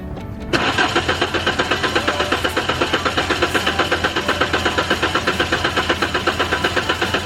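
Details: Mk3 VW Golf after new fuel pump, fuel now confirmed reaching the lines: starter cranks in a steady chug about four pulses a second but never catches; one plug later found without spark.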